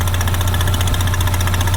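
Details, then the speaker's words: 2016 Ford Mustang EcoBoost direct-injected four-cylinder, which a shop said had a bad engine, idling with the oil filler cap off. Steady low idle with an even pulsing puff from the opening: normal crankcase pulsing, not blowby. "But what's happening here is this engine is direct injected and a direct injected engine doesn't have any vacuum in the intake. So it can't pull all of that out like the older cars."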